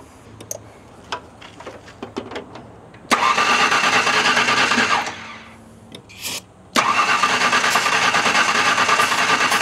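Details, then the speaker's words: Oily neglected LT van, bigger battery, starting fluid in the intake: short grinding bursts of cranking without catching; cranks but won't start, owner suspects spark, earlier suspected fuel pickup sucking air or clogged filter. "oh boy this might be a spark issue"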